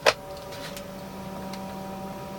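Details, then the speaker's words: Newly installed diesel heater in a camper van running: steady low hum with a few thin tones and a tick at the start, a harmonic hum a little louder than usual but normal and settled. "Let's see what it sounds like with this closed. A little bit louder than I'm used to. It has a hum."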